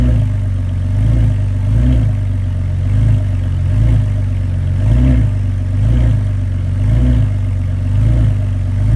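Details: BMW E46 328i with rear clunk: engine drone swells and eases about once a second with a dull thump from the rear each cycle; cracked rear differential bushing found, needs replacement.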